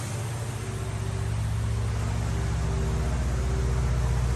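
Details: 1950 Plymouth Deluxe, off the road 23 years, after a carburetor fuel filter and new plugs: low, steady burble of about four beats a second holding even; idling on its own using the engine fuel pump.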